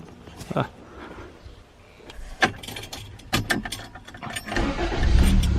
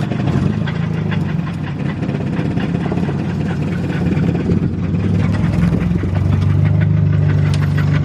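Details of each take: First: 1987 Toyota Corolla, sat since October 2020, needed a little gas to start: clunks, short crank, catches and settles into steady run; starts right up but stalls quickly when put in drive or reverse. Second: 1987 Toyota Corolla, second engine fitted, sat since October 2020, running: low rough idle with uneven tapping about three per second, noise seeming to come from top of engine; source not identified.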